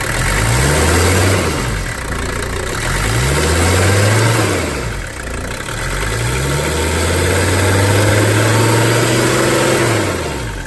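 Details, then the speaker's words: Mercedes 300D, OM617 diesel, after running with zero oil pressure from a blown oil line, line patched: steady idle with revs climbing and dropping evenly, no knocking or rattle; engine sounds good. "it sounds good I was fairly confident it was okay"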